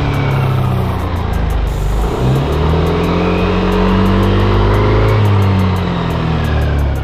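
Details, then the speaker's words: Yamaha NMAX Neo standard scooter (no tachometer) on stand, revved until VVA indicator lights; revs and holds high with light fast tick from under the engine as VVA switches in; normal, nothing wrong. "Kayak gitu. Kalau di mesinnya nanti akan bunyi tik kayak gini men."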